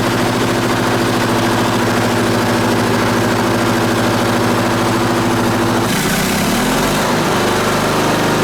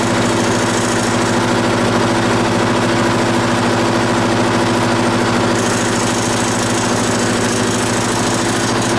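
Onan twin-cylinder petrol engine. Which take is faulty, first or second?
first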